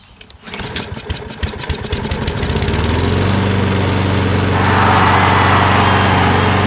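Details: Kohler XT675 engine on Poulan 22" self-propelled push mower, after quick carb bowl clean and refuel: a few pull-cord chuffs, then the single cylinder catches and settles into a smooth, even putter; starts cleanly and idles steadily.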